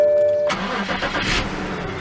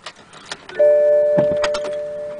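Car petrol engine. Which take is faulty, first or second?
second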